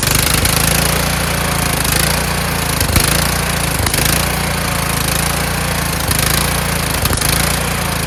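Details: Kohler Courage single-cylinder engine mounted on a tractor, started on choke: loud run that stumbles and dips about once a second. A return spring made it want to stop, and the owner suspects the throttle bracket.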